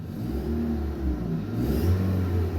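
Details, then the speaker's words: 2018 Hyundai Tucson, about 118,000 miles, loss of power with no check engine light; after repair, revved to about 5000 rpm. Deep, even note climbing freely; exhaust pressure gauge at upstream O2 port barely moves, so fixed. "look at that that was like 5000 rpm right there that needle is barely moving this thing is fixed"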